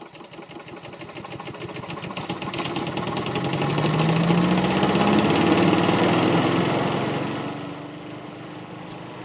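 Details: 2004 Craftsman 6.5 HP chipper shredder yard vacuum, Briggs & Stratton engine that wouldn't start hot, after replacing the ignition coil: fires up, runs evenly, revs up then eases down with a steady regular beat; healthy.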